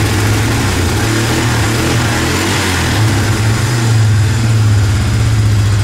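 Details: 2005–2006 Suzuki Eiger 400 ATV single-cylinder, after carburetor rebuild, started on choke: steady even idle, picks up cleanly when blipped, good throttle response; normal idle.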